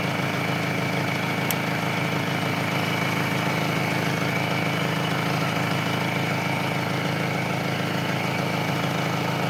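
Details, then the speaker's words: Engine idling steadily and evenly after a jump-start by parallel connection (battery had dropped to 4 volts, now reading 14 volts), with the battery terminal removed; it keeps running without stalling, showing the alternator is charging. Normal idle. "Yan oh. Hindi namatay. Ibigas sabihin niyan may charging ang kanyang alternator."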